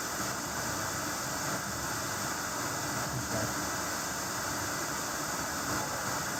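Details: Sony SRF-M35 radio Walkman bought 2001, set to FM indoors, output through Bose SoundLink via aux: only flat even hiss, no voice or music; no station reception indoors.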